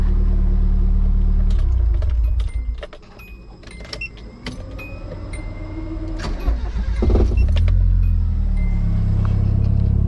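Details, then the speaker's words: CA18DET engine fires right up after moving the fuel pump ground from the pump cover directly to the battery; deep even rumble dipping briefly then recovering, light clatter, normal idle after the fix. "So I moved the ground to right here directly off the battery, and wouldn't you know, my car fired right up."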